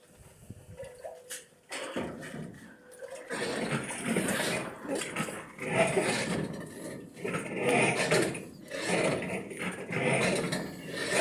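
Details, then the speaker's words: Drean Concept 5.05 washing machine washing with a load of clothes: loud rough scraping groans in surges as the sagging drum rubs the pulley; the fix is to lift the drum or replace the springs. "Toca la polea, se baja mucho el tambor."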